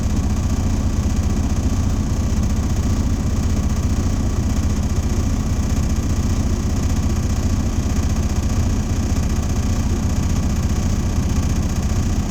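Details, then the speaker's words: Diesel truck held at fast idle during an air brake pre-trip test. Steady low rumble with an even pulse, no knocks or air leaks, as the compressor builds air toward governor cutout. It was just serviced and there are no check engine lights. Normal. "What I normally do, when I tell the participants to do, roll their windows down and just listen for the air dryer to let me know where my governor cutout is."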